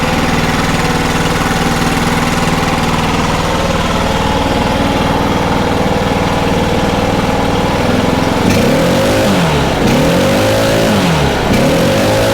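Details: Stihl BR800 two-stroke blower after carb adjustment and clearing fuel flooding into the piston top: settles into steady idle, then revs up and down cleanly with no stumble or bog; runs properly.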